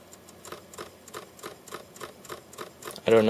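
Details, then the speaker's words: Mac Mini running Snow Leopard, 4 GB RAM, loading a burned DVD: steady ticking about three times a second as the optical drive tries and fails to spin up, then a louder whir before it rejects the disc; retail DVDs still play. "I'm going to pop this in the disc is trying to spin up"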